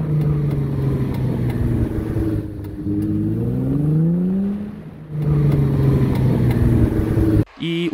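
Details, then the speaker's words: Damaged CV joint on a car driveshaft: a steady droning hum whose pitch climbs as road speed rises, louder the faster you go rather than on turning; wear comes from lost grease after a boot clamp failure let in dust or water. "en otras ocasiones también puede que no suene con el giro sino que suene con el aumento de velocidad [Música] entre más rápido vayas se empiece a escuchar un zumbido como este"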